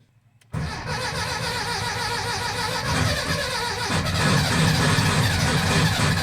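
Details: Air-cooled VW Type 4 engine after DIY valve guide and piston ring work: catches within half a second of cranking, then a steady, busy idle that firms up slightly while the oil primes; a normal, healthy start.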